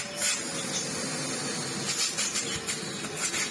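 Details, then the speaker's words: Miele Blizzard CX1 Comfort XL bagless cylinder vacuum, brought in for loss of suction, after service with hose refitted: strong, steady rushing air with even hiss, no flutter or whistle; excellent airflow; normal running. "there she is oh yeah fantastic performance"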